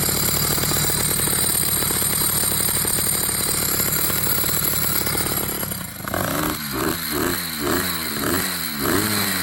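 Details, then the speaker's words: Motorized bicycle two-stroke with experimental wet clutch, cover off and no fluid yet: buzzy running with harsh metallic clatter louder on blips; clutch and its four bearings are noisy; loud clutch noise. "Alright, so I got the bike fired up. You can hear the clutch. Four bearings in that thing are not gonna last long."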